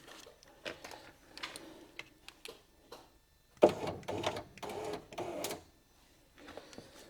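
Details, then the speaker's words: Vauxhall Opel Corsa D with smashed left door glass, electric window tested: short bursts of rough clattering and grinding start and stop as the window motor runs; window regulator failed and needed replacement. "what we got that don't sound pretty good either does it that sounds shocking"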